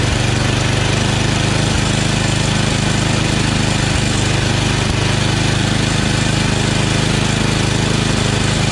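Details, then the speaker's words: Yard Machines 8HP Tecumseh snowblower that surged, hunted and wouldn't prime, after carburetor (632334A copy) and fuel line replacement, idle screw raised: firm even drone at full throttle, no surging; running properly. "new carburetor i just over the idle a little bit through the idle screw here as you can see it doesn't surge anymore it now primes with the primer button full throttle no sir and"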